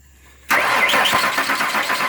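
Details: 1998 Ford Ranger 4.0 after a new fuel pump was fitted (spark and relays had checked good): quiet, then the engine cranks and catches at once, settling into a smooth, even run with no stumble; normal start.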